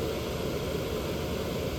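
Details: Fan on a homemade light-dimmer speed controller, knob turned up to high: steady, even rush of air with no rattle, tick or wobble; fan running smoothly at high speed.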